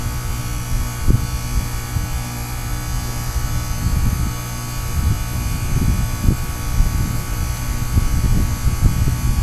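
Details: Goodman heat pump outdoor unit, frozen solid in a 2014 blizzard at about 27 degrees, running a defrost cycle: low steady hum with scattered cracks and thumps as ice breaks loose, steaming. Normal defrost.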